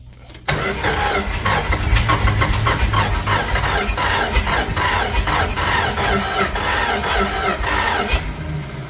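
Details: 1967–70 Dodge A108 van, 318 V8, three-on-the-tree manual, timing issues, fuel poured in and pedal pumped: steady uneven starter cranking for about eight seconds with no catch; engine turns over but won't fire.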